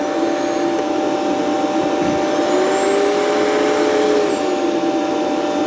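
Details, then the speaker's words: Rainbow PN12 power nozzle before refurbishment: motor hum with brush whine sagging under carpet load, maybe half speed or less; owner suspects loose belt. "Uh, it seems to be slow when it's really on the carpet as opposed to off the carpet. So, maybe loose belt."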